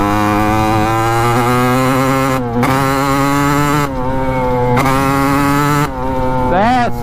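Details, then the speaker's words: 1986 Kawasaki KX125 two-stroke after refitting the loose main jet and fixing float height, running slightly leaner: crisp note climbs cleanly through each gear with quick shift dips, no bogging; engine pulls properly. "oh baby that sounds a lot better"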